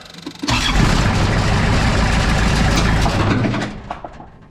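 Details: Moffett forklift diesel after injector replacement and bleeding air from lines, longest line tightened once fuel came out: starter churns with a steady low thrum for about three seconds and winds down without catching; hard start.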